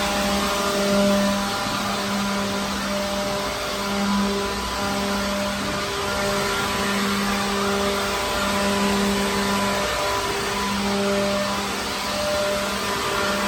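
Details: Second-hand leaf blower clearing dirt from a truck trailer. Steady even motor hum with a constant fan whir that holds pitch; running smoothly and healthy; normal.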